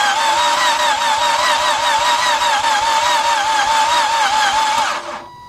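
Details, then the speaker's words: 2007 Nissan Altima no-start, oil found very low, loud clacking noise from the front on starting, chain suspected: starter spins fast and even with a wavering whine and no compression strokes; no-compression cranking. "in the beginning when we started it you notice we heard some noise in the front maybe the chain or somebody that messed up"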